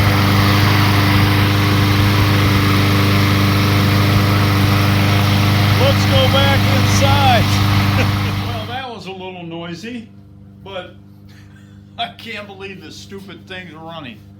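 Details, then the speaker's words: Craftsman mower, Briggs & Stratton 140cc engine, about 1.5 years old, had no-start with low compression, suspected stuck valve: it runs with a steady, even beat and holds speed; left running to warm up before oil change. "you can still hear it out there I'm going to let it run for 10-15 minutes to make sure it keeps running"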